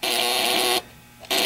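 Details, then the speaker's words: 12-volt relay used as ignition coil driver buzzer; contacts should bounce back and forth but give a harsh, rough buzz that stops for half a second then resumes, chattering weakly instead of buzzing cleanly; relay chatter. "so what's supposed to be happening here inside of the relay is that the put these little contacts right in here are supposed to bounce back and forth"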